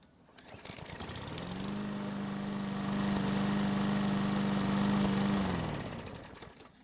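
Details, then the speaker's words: Craftsman lawn mower small single-cylinder engine after a carburetor service and valve adjustment for a no-start: hot restart after running a couple of minutes, settles into a steady even beat at about 214 per minute, then winds down cleanly; healthy. "and as you just saw it started back up with a hot engine without any real problems"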